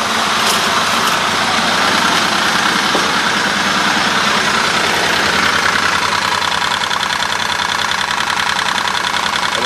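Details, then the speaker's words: 2001 Buick LeSabre idling, recorded under the car, after a sudden loss of power and misfire: loose, uneven metallic rattle about three per second from the catalytic converter's broken-up insides, not a heat shield. "not an exhaust Shield or anything that's the cat itself rattling right that so I figure we'll disconnect it and see if it uh runs any better with that off"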